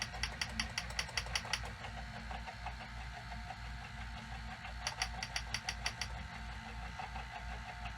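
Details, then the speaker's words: 1986 Sony SL-700 Super Beta Betamax VCR in sped-up slow-motion/shuttle playback: rapid sharp ticking, about eight per second, clatters over a low motor hum; the mechanism sounds clunky at speed. "man it really sounds clunky when it does that"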